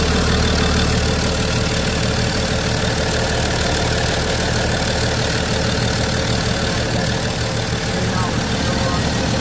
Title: BMW 535d xdrive. First start after replacing failed HPFP, injectors, LPFP and rail sensor+ regulator